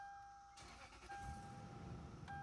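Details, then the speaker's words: Lexus GX470 started right after oil and filter change, skid plate off to check for leaks: door chime, brief crank, clean catch and quiet steady idle; normal start, no leaks seen so far. "sounds good sounds like she's running right so far"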